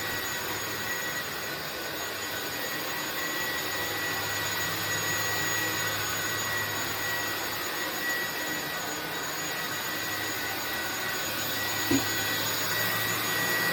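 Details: INSE V120 cordless vacuum set to medium power, battery at 40%: a steady, even motor whir with a constant high tone and no surging or rattles; running normally, though it has drifted down in power on its own before.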